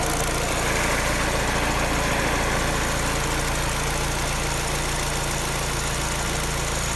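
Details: Peugeot 308 engine making a rapid, fairly even clacking about three to four times a second over a steady idle. The source of the clatter is not identified.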